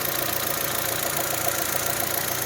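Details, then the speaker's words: 2008 Saturn Astra after throttle body replacement and battery reconnect: engine slightly rough at first start, then settles to an even, quiet, smooth idle with injectors clicking, cold before thermostat opens; normal idle. "actually started it up it seemed a little rough at first but now"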